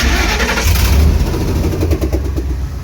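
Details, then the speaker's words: 1954 International pickup, restarted after disconnecting a module: fires and settles to a lumpy idle with a rapid puffing tick on the exhaust note, from an exhaust leak. "fire's right back up ignore the exhaust leak obviously"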